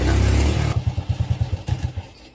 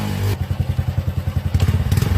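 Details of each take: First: Fuel-injected engine that won't hold low rpm, before injector removal and cleaning: after a brief rev it drops into uneven, spaced-out firing pulses that fade and stumble; rough low-rpm running with stalling tendency, injector clog suspected, not confirmed. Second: Fuel-injected single, which started poorly at low rpm, after its injector was removed, checked for a round spray pattern, cleaned and refitted, now idles with a steady, even thump and no misses or stumbles. Normal idle after injector cleaning.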